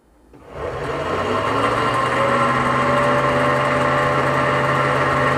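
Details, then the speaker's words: AC condenser fan motor spins up to a steady hum with a thin metallic ringing whir on top; worn fan motor bearing, fan blade shows slight play when rocked. "Now, I'm going to show you guys how a bad AC condenser fan sound like. If you listen carefully, you could hear a metallic sound."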